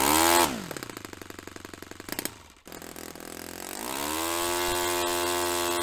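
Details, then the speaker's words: Restored Saito FA-45 Special on a test stand, 10% nitro fuel, original old glow plug, after carb tuning. Drops from a high buzz to a popping idle, briefly cuts, then climbs cleanly to a steady high whine; normal running. "Really happy that's running quite nicely, or certainly at the moment to the best of my ability to tune it."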